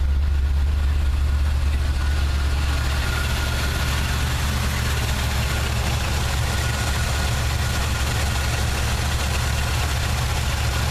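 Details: 1979 Chevy truck 350 V8 idling: deep uneven beat with a recurring skip in the exhaust pulse; misfire persists though compression test and plugs look sound (clean, light brown, no oil or fuel fouling); automatic choke; cause unknown.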